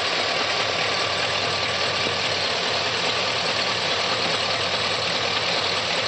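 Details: 2004 Chevrolet Silverado 6.0 V8 at idle with crisp ticking about two or three a second from the valvetrain, persisting after the lifters were replaced; cause not found.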